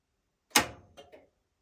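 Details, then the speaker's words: Whirlpool SCW1112WH washer starting Quick Wash 30: after the motor test and door unlock, one soft thud then two light relay clicks about a fifth of a second apart. Normal start-up. "couple of relay clicks. Then it'll lock again. There you go. A couple of relay clicks again."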